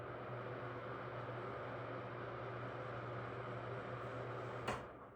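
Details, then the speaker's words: Newly replaced bathroom vent fan motor, which was loud before, running after reinstall: quiet steady low hum with soft airy rush, no rattle or scrape, until switched off; fan runs normally. "Lastly, I turn on the switch. As you can hear, it's very quiet."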